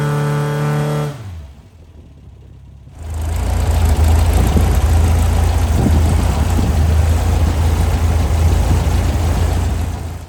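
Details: Brand-new Powerhaus VW 2110cc air-cooled turnkey engine for a 1966 21-window bus, upgraded head, dual 44 carbs, on dyno after valve adjustment; winds down, quiet, then refires into smooth even throaty run under load; normal running.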